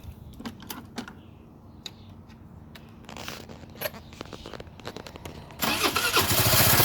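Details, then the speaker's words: 2006 Vespa GT200, about 15,000 miles, coolant almost empty: scattered clicks, then on starting a harsh metallic scraping rattle over the exhaust from inside the engine; owner asks whether it is rod knock, cause unknown. "sounds like scraping metal"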